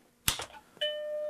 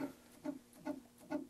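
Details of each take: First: Macintosh Plus with the logic board connected after analog-board solder joints were redone: a click, then a clean sustained startup bong through the test speaker; motherboard is fine, though video is still missing. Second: Macintosh Plus, no battery installed, powered on: soft chirp-tick repeating steadily about twice a second as the power supply tries to start and drops out, drive seeming to spin up.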